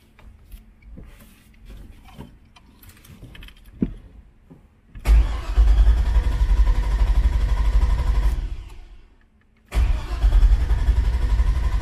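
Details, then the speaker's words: Elco after cylinder head replacement and charging fix: two long bursts of steady starter cranking, engine turns over evenly but never catches; no fuel pump priming heard at key-on, so the fuel pump is suspected. "yeah i'm not getting the fuel pump so check that and see what's going on"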